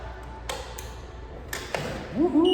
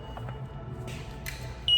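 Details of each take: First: Model 37 Mart Cart, after the front drive motor was replaced: clean, high, steady electronic beep in short spells over handling clicks when backing up; reverse warning beep working normally. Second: Model 37 Mart Cart, throttle pressed: a few faint clicks then a steady high-pitched beep with no drive motor whirring; positive terminal pulled out at the motor controller, loose power connection between controller and motor.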